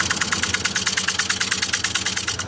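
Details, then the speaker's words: Cracked juniper bowl blank turning on a wood lathe at 550 RPM with a 5/8 inch bowl gouge: rapid tapping about nine times a second as the tool cuts. The cracks give a hollow cutting sound, with occasional pops. "you hear that how it sounds kind of hollow from all the cracks so I'm just going to be taking it real easy"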